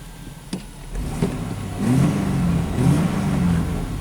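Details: 1997 Chevy S10 pickup (rough running, mornings misfire, codes P0102, P0340) after fuse replacement and codes cleared, still long crank: clean throttle blips, picking up and dropping back evenly without stumble; throttle response maybe better.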